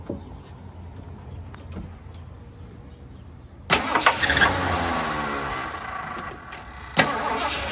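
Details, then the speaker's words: 1979 Lincoln Continental Mark V V8 after new spark plugs and plug wires, idle adjustment and a vacuum leak fix: catches quickly after a short crank, then settles to a smooth even idle on all eight cylinders; owner suspects a water pump issue. "But you can hear it. It It runs really nice. Getting on all eight cylinders now."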